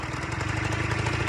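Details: Free Suzuki LT80 two-stroke quad, previously blown up and left outside, started with choke then choke off: putters at a fast, steady idle with an even, slightly buzzy beat, no stumbling; running fine.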